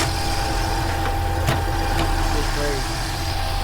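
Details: Mercedes SL55 AMG, supercharged M113k V8, after replacing worn supercharger bearings that had sounded like engine knock: smooth, even idle with a steady low rumble and no knocking from the engine front. Sounds healthy.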